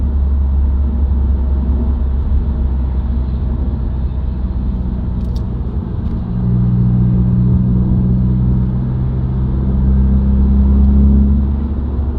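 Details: Subaru WRX, recorded inside the cabin while driving: low steady drone over road rumble with a hum that swells partway, rising with road speed, independent of revs and gear. Dealer-diagnosed broken centre-diff viscous coupler.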